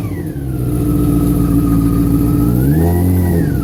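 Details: 2004 Yamaha R6 idling then revving, light tick mixed into the engine note that speeds up with revs, owner suspects it comes from the throttle body area; engine ticking noise.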